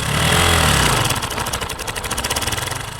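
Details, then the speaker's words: Motorcycle engine idling, noise from the clutch side; fast rattly metallic chatter over the beat is cam chain (timing chain) noise. A possible cause is the cam chain tensioner fitted with its push rod fully out, making the chain rub. "Cam chain noise. Listen carefully. This is called cam chain or timing chain noise."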